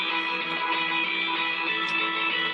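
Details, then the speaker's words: Late-1940s RCA 8R71 AM/FM radio during restoration, tubes not yet replaced: music thin and harsh with no bass and a gritty fuzzy edge; component distortion or voice coil rubbing on the pole suspected. "it might be an issue with a voice coil rubbing on the pole but with that Dome over it you're gonna have a hard time doing anything about it"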